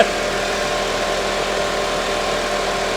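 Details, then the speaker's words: Front-undamaged, rear-damaged convertible started on a jump boost: steady, even idle with no misses, knocks or ticks; normal idle. "she's dirty but she sounds really good"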